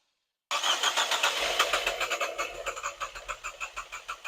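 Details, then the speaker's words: 2014 Nissan Juke after engine rebuild, first start attempt: starter cranks steadily at three to four turns a second but never catches; scan shows code P0087, fuel rail pressure too low. "Right, so upon scanning the vehicle, we had a PO P0087, which is the fuel rail. Fuel No pressure, pressure, too low low. pressure."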